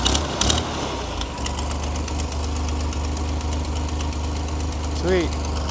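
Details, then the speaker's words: Vintage flat fender Jeep with Sniper 2 EFI after a new vented, baffled tank with in-tank fuel pump, fitted to fix fuel delivery and aeration problems: low, even idle pulse with no stumbles or surges, fuel pressure a bit over 60, no leaks; normal idle. "it starts right up we got 60 it doesn't leak when it's on it's got"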